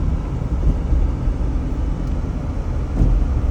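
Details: 2005 Jeep Grand Cherokee Laredo after replacing the bad idler pulley, belt tensioner and serpentine belt, driving as rpm builds: low engine and road rumble with no high-pitched chirp or squeal that used to appear at higher rpm; belt drive quiet and healthy.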